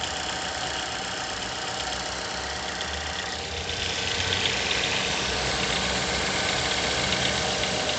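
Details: Mazda 6 GH 2.0, cold idle after long standing at 1000-800 rpm: fairly even knock about four per second over the engine; disappears once coolant temperature needle starts rising; unexplained cold-start knock, source not found.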